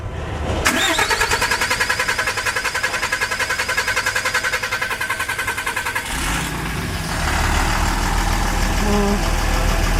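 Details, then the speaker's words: 2007 Dodge Ram 3500 Cummins turbo diesel, 6-speed manual, with black smoke and no power; after fuel work, about five seconds of steady chugging crank before catching as fuel refills the system, then runs smoother: long crank hard start from air in fuel system. "Gotta get the fuel back in the thing. He has to do it to get the fuel back into the system."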